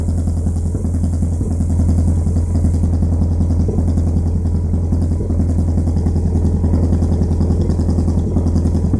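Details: Vauxhall Corsa SRi x14xe engine with R6 bike carbs and Megajolt ECU: lumpy idle with an uneven beat and occasional dropped pulse; misfire traced to a broken HT lead, replaced, and main jets enlarged because it ran lean.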